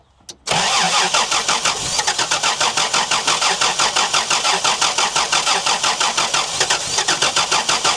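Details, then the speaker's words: 1990 petrol Toyota LandCruiser sitting for years, after cleaning and regapping points and pouring fuel into the carburetor: catches after a cough with uneven pulsing beat about three times a second, then cuts out; tank suspected empty. "The tank must be empty. It's only running what I tipped into it."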